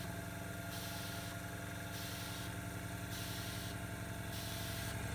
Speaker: Okay, so lung is filling up. And it starts to cycle. I don't know if you can hear the valve going up and down.